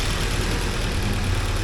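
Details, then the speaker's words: 1979 Porsche 924 at a low, even idle with no misfires or hunting, after idle adjusted down, timing set by ear, warm-up regulator bolt adjusted and pressure settled at 3.7–3.8. Normal idle. "I think it's running pretty nice uh I adjusted the idle down I set the timing just by ear because my timing light is not working"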